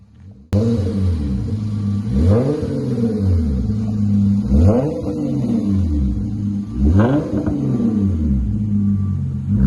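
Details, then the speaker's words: 2013 Hyundai Genesis Coupe 3.8L after rear muffler removal, split Y-pipe axle-back, factory resonator and cats, 3.5-inch dual burnt tips: deep throttle blips rising and falling cleanly; small backfire possible when cold, gone once warm; healthy loud modified exhaust. "Definitely got the Fast and Furious sound to it. Sounds pretty good. Should be what the customer's looking for."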